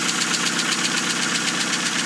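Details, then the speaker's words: 2000 Hyundai Accent idling after clutch, flywheel and transmission replacement, fires right up: steady even idle with light fast regular patter, no knocks or grinding; normal healthy idle. "Anyway, thing's running. Fires right up. This old car just keeps on going,"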